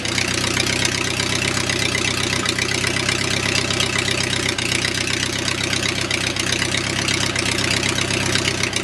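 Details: O-84 (4A084) flat-four with ECU fuel injection, cold start at about 75°F after three prop-pull primes: steady even 650 rpm idle running cold and rich until 140°F, crisp regular beat, no misses; normal cold idle.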